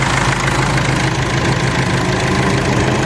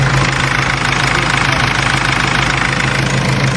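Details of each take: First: Mercedes W203 idling with the fan control wire deliberately pulled: the PWM signal between engine ECU and fan controller is lost, so the radiator fan defaults to full speed (P1636). Loud constant rushing roar over a steady idle, fan speed unchanging. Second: Mercedes W203 idling with the air conditioning switched on and the fan PWM signal checked on an oscilloscope. Steady whirring fan over an even idle, no rubbing or rattle; the cooling fan runs normally.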